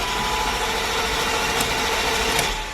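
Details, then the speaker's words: BMW 735i E38 after another shop's transmission diagnosis, scope on the immobilizer output wire to the engine computer: starter cranks steadily but never fires; crank no-start, immobilizer signal present but not pulled fully to ground. "and as you can hear it is a crank no start now we do see a signal coming out of the immobilizer"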